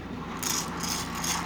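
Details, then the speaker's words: Lionel Sound O' Power mechanical tender whose broken belt is bridged by a rubber band, running at low speed: a light, continuous metallic rattle of ball bearings lifted and dropped by a turning disc, with no stalls; sound mechanism working. "wheel turning and it's just a bunch of ball bearings that are being lifted and then dropped as that disc turn so it doesn't make very much noise it really doesn't and from more than a few feet away you can't hear it at all"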